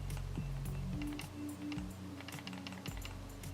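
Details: Mouse shaken by hand gives loose, irregular plastic clicking about four a second from sensor rattle.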